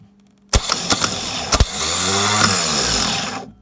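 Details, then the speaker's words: S10 Blazer starter, removed after five years sitting, bench-tested with a known-good battery: couple of clanks, then smooth rising whir about two seconds as the gear extends and spins, spinning down cleanly; starter is fine. "So what did we just figure out? The starter is perfectly fine."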